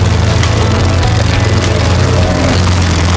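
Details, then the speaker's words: Lawn-Boy 10671 push mower, Tecumseh 5TPXS engine, still on its original carburetor that was never changed, smoke now cleared: loud rough running with uneven pulses and brief dips; engine stuttering, cause unclear. "wonder why she stuttering this is the car that's still on that I clean I never changed the car"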